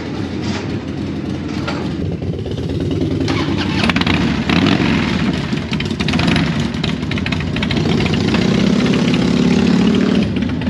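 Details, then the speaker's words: 1983 Harley FXR after repair; V-twin settles into a steady, loping idle with both cylinders firing evenly, no misses; sounds much better with more power. "well that sounds a lot better a lot a lot better I think it sounds like it has some power in it right now"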